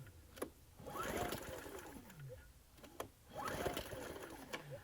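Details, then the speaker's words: Ryobi RIG1000 inverter generator with no spark even after low-oil sensor disconnected: two long recoil pulls, quick rising churn with no firing; cranks but will not start. "i decided that i'd pull us another ngk spark plug out of my whippersnipper weedwhacker machine and i'm just going to try that spark plug just to eliminate to see if if that original spark plug might be faulty"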